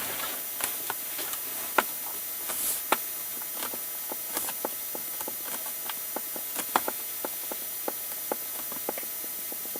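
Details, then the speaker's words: Hyundai i30 dashboard, driving on road: sharp little ticks and creaks at uneven spacing, roughly one a second, over quiet road hum; loose plastic dash panel rattling. "Duyduğunuz bu sesler yolda giderken rahatsız edebiliyor."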